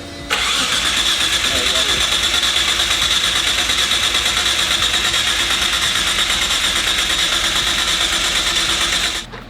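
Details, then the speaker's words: RB20-swapped Ford AU Falcon drift car on its first start after the swap. Harsh, ragged cranking with uneven popping about three times a second that never settles into a run and sounds like it is running backwards. Ignition timing is 180 degrees out. "boom what is it sounds like it's going backwards"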